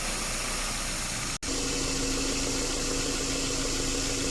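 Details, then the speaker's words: Subaru, after repairing a leaking evaporator, vacuuming and recharging refrigerant to spec, gauge pressures normal: steady engine hum, a brief click as the compressor cuts in, then a smooth, even low tone; AC clutch cycles normally. "ช่างก็ได้ทำการแว็กซ์อากาศเติมน้ำยาแอร์ตามสเปกนะคะคอมแอร์ตัดต่อปกตินะคะ"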